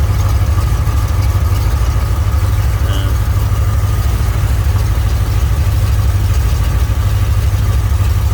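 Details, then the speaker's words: 1967 Mercury Cougar at idle after repair of the power steering hydraulic ram assist, wheel being turned: loud, steady idle with no pump whine or groan; power steering sounds healthy, though a hose touches a bracket. "Okay, go to the right. That sounds good right there, see?"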